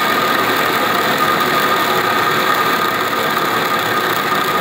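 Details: DN100 (4-inch) orifice plate on a flow-test facility, flow passing from cavitation-free through incipient, consistent and super cavitation: steady hissing crackle like gravel rushing through the pipe with a faint thin tone above; cavitation across the restriction.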